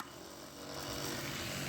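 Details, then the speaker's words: Small RV fresh-water pump with its inlet in a jug of plumbing antifreeze, pushing it through the line to protect the pump: steady soft hum and hiss, rising slightly then holding even; water level drops, pump working normally. "oh yeah you can see the water level going down and you can hear the you can hear here it working"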